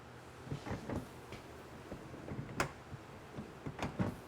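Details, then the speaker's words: Mercedes 300TD wagon rear wiper assembly that won't park or reach full travel: quiet, irregular clunks and knocks from inside the housing as it runs; gears suspected to be shot. "plus i don't know if you heard it but it's kind of clunking in there and that really concerns me i'm thinking maybe the gears are shot"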